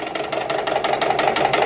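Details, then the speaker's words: EPKU-1.7 compressor block before repair, knocking in cylinders and throwing oil, test run: sharp fast metallic knocking about nine or ten a second over the running note; piston pin came out of the piston. Piston pin knock. "Все, це є. Вийшов палець."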